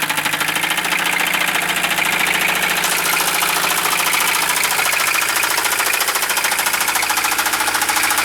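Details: 1973 Mercedes 220D diesel at idle: heavy, steady knock about three to four times a second; rod knock suspected, not confirmed.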